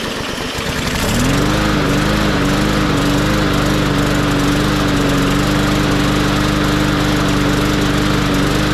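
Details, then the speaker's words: MTD 20-inch mower with Briggs and Stratton engine, first start after being filled to the top with oil (hydrolock), carburetor worked on, covers off: catches and settles into a fairly steady, slightly uneven, smoky run burning off oil; runs pretty smooth, may clear further. "while that's smoking away I think I'm going to put it back together I'm not going to mess with uh drilling the jet or anything more with the carburetor it runs well enough it may clear up even a little bit more it runs pretty smooth now"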